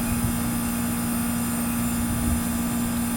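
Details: Trane TWB heat pump outdoor unit, R-22, cooling fault, after adding eight ounces of refrigerant with hard-start kit fitted: steady low hum with constant tone and fan rush, no clicking or chattering; running normally.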